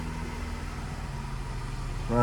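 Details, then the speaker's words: BMW E46 320ci convertible just after its yearly oil and filter change, with the stock paper air filter refitted: low, steady idle hum with even pulses that rises slightly near the end. It is smooth and healthy, with no check engine lights. "Running like a charm. No check engine lights. Thank God."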